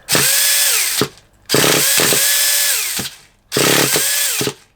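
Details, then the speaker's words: Traxxas Revo 3.3 nitro RC car, indoors: three short pull-start bursts never catch, fuel smell suggests it's trying to burn; owner suspects it needs glow heat. "I think we are gonna need a bit of a heat on it I can smell the fuel you know I can smell it trying to burn so he's trying to burn"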